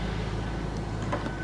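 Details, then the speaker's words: Ford Thunderbird with small V8 at dealer auction walk-around: steady, even low hum with no knocks, misses or squeals; smooth, healthy idle. "she's running like a top man she sounds really really good"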